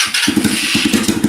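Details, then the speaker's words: Cold small motorcycle with a PZ30 carburetor, hard to start, idling with a sharp, quick puffing tick on every firing; owner suspects an exhaust leak at the header, possibly needing a crush washer. "See if we got exhaust leak. I think we do."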